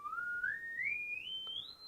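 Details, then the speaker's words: Advanced J1B AF signal generator (low frequency oscillator), speaker plugged into output with attenuator turned up: clean single tone glides smoothly from about 1 kHz up to 4 kHz on that range without dropouts or warble; normal frequency sweep. "So let's just turn up the output attenuator here, and let's do the big wobbly knob test. So the frequency goes down from a kilocycle"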